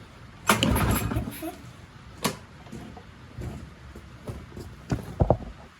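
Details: Push mower that sat six years with water in the engine, with a new spark plug fitted: a few short pull-cord whirs with no firing or catch; turns over but won't start.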